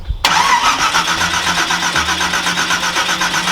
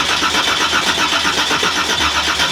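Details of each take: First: Nissan GTR R35 V8 1,500bhp drag car, unstarted for about 6 years: steady fast starter churning of about four beats a second, with no catch. It turns over but won't fire; owners suspect fouled plugs, not confirmed. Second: Nissan GTR R35 Black Edition V8 1,500bhp drag car, not started in about 6-7 years: the starter spins it with no firing to build oil pressure. Steady whir with even pulses, but no oil pressure shows on the dash.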